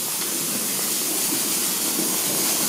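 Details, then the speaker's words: Steady, even hiss with no rhythm as air is sucked in past the loosened manhole flange gasket of a leaking 5,000-litre domestic hot water tank being drained; a steam leak on the condensate return hums in the background. "je commence à ouvrir le trou d'homme et on entend un bruit d'aspiration à travers le trou d'homme."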